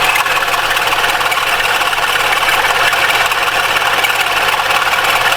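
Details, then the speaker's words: Mitsubishi ASX 2013, 1.8 petrol, CVT, front-wheel drive, 448,000 km: intermittent dull rumbling rattle over a steady idle from the accessory belt drive. Unsure whether it is the alternator or the belt itself; the belt is removed to check the tensioner. "То ли Динамо, то ли сам ремень. Вот не пойму, что за херь такая."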